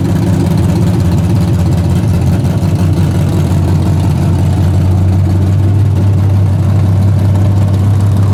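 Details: Freshly rebuilt 406 V8 breaking in, 5 min 15 s into a planned 15-minute run: loud, steady rumble at fast idle, no knock or tick, healthy. Open plenum fitted; crew thinks it may need a bigger carburetor.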